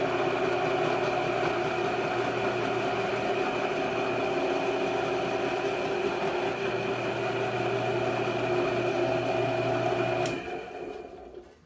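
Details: Alltrade drill press, test run during repair: a steady motor hum with a constant, even whine and no knocks or grinding, then it spins down, running normally.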